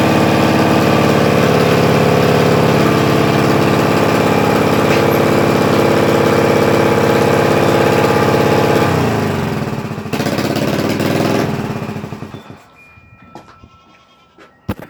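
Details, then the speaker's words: Yamaha TTR 125 four-stroke dirt bike: the single cylinder idles fast and steady, sags briefly, then shuts off. The owner admits the idle is high from unresolved problems; the exhaust leak was just patched with a metal can strip and hose clamps. "and yes I know it's I doing really high but it's just having car problems and I'm trying to fix it"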